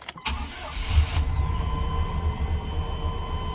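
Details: 1998 Chevy C1500 after replacing a clogged fuel filter that caused crank-no-start; brief crank, then fires at once and settles into a smooth, even low idle, starting and running normally.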